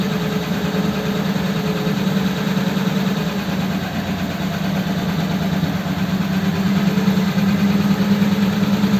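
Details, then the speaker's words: Ford 8BA flathead V8 with Richard's Holley 94 carb on another truck, started on choke, before a road test: steady, even low idle drone with no knocks or misses, settling smoothly. "okay well that started up okay didn't it so good"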